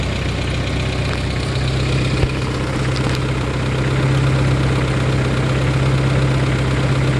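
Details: 1993 Geo Tracker four-cylinder idling with a dull knock about four times a second under the steady hum; owner suspects rod knock, unconfirmed, before pulling the motor.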